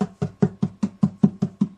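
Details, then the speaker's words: Yamaha FD01S acoustic guitar, loose-brace check by tapping the top: ten clean even taps dying away with no buzz or rattle, so the top is solid with no loose brace. "This guitar is getting solid."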